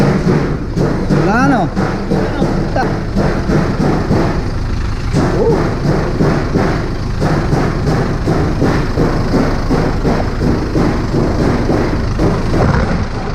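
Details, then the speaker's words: Isuzu 4JH1 diesel after a full transmission overhaul and clutch adjustment: steady, even idle clatter, and the gearbox rattle heard on the earlier first start is gone, now quiet. "Wala nang katunog-tunog oh. Tahimik na."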